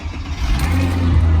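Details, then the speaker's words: Cold start in snow of a 20-year-old Mercedes CLK V6 with 35,000 miles: engine catches at once and settles into a smooth, steady low hum with no stumble; normal healthy cold start. "the v6 engine oh my days it starts absolutely perfectly you can see the car's only done 35 000 miles from the clock"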